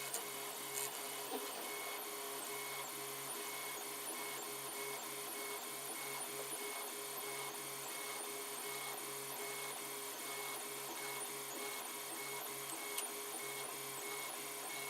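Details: 3D printer printing an LVDS controller box: steady whir with faint high whines and light irregular ticking; odd noise, possibly the fans, not pinned down.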